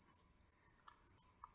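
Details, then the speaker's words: Supercapacitor cell-balancing inverter (oscillator, transformer, bridge rectifier) transferring energy from the left-hand supercapacitor into all three: thin steady 3 kHz whistle over a quiet room; oscillator running normally. "you hear the 3 kilohertz I can hear it quite loudly now of course I'm transferring energy from the left hand super capacitor into all three"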